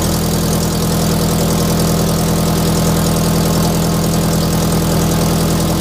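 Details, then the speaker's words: Toyota FRS (Scion FR-S) with unequal-length aftermarket header, idling: sharp rapid puffing tick on every exhaust pulse from an exhaust leak at the header/over-pipe gasket; quiet in the cabin but loud outside. "e got a pretty gnarly exhaust leak uh inside the cabin it doesn't sound all that bad but my wife drove it down the street and you could hear it it sounds awful"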